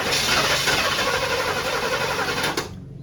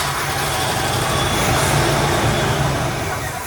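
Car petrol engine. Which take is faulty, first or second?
first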